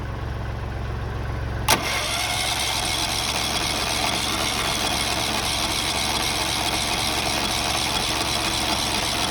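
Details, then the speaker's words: Engine jump-started with a weak battery: steady fast cranking that never catches; cranks but won't start, out of gas. "You can hear it swimming fast, right? No gas in it."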